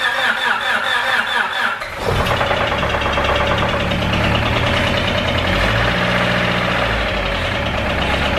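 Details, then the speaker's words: Honda Civic EK with worsening rod knock, stalling after being driven home: after a dog barks it cranks and catches, then runs with a heavy rapid knock and uneven idle. Rod knock. "so the EK as you guys know the motor is knocking pretty bad it actually got worse"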